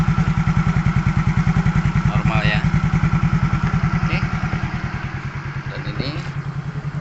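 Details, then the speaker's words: 2014 Yamaha Mio GT single-cylinder scooter after repair for smoking, power loss and stalling: steady, even putter with quick clean throttle rises, no knocks or misses, no exhaust smoke, no warning light; sound normal for a Mio GT. "dari segi suara ini suara yang dihasilkan tentunya ya ini masih sama dengan posisi Yamaha Mio GT ya tentunya yang memang suaranya seperti ini kemudian kita lihat di bagian knalpot enggak ada asap"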